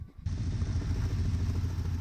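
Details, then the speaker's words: Dodge Ramcharger, carbureted, just restarted on choke after plug check: uneven, loping idle with stumbling pulses, running a little rough; owner suspects an exhaust leak at the rear and an unlocated vacuum leak. "Glue's running again. A little rough. It sounds like we may have an exhaust leak back here."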